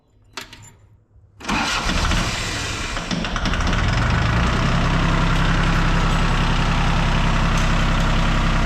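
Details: John Deere 750 diesel tractor, over 40 years old, sat unused, after a new ignition switch: short crank, catches quickly and settles into a steady even idle about four beats a second; starts and runs normally.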